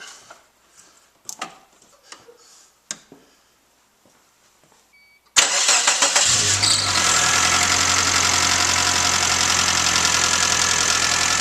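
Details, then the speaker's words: 1995 Suzuki Sidekick, after alternator replacement: cranks and catches into a steady even idle with no whine; whining noise gone, alternator confirmed as cause. "right the noise is gone so it was definitely the alternator another project done"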